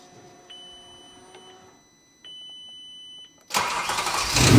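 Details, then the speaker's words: VW Transporter with RS4 V8, twin turbos and bigger fuel pumps: after a few chimes it catches and revs hard in a rough, ragged climb with black smoke; owners think it needs a tune. "Yeah, just black now. Just wants a tune, doesn't it? Cuz it's got the bigger pumps and stuff on it."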